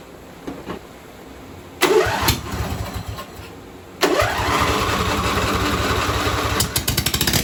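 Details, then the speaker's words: John Deere V-twin on a mud mower build, with fuel poured in the intake: cranks in short bursts, catches briefly and fades, never settling to idle. Owner guesses the carb needs cleaning; the cause was an unplugged harness leaving the carb fuel solenoid unpowered. "both are hot so it's not skipping so the gas is pumping my guess is we're going have to clean the carburetor"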